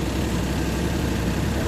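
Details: Suzuki DA64V with K6A engine that previously would not start: steady low engine rumble at idle with no knocks or misses, just an even background hum; idle sounds normal.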